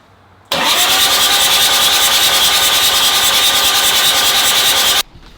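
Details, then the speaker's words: Nissan GQ Patrol engine cranking on the starter for the first time in 3.5 years, fuel stop solenoid disconnected so it can't start; steady fast starter whirr with even pulses, no firing, priming oil until it drains from the turbo return line; normal cranking. "All right, it cranks. Now, the question is, is it getting oil pressure? That is the first time this engine's cranked over in 3 and 1/2 years. Thank god it turns over. Nothing went bang."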